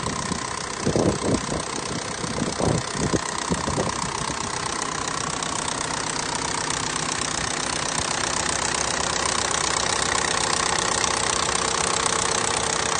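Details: FSI engine built for a big-turbo setup that has sounded odd since its first run. An uneven idle with scattered ticking and knocking over a hissy, busy engine note; the source is unknown and still under investigation.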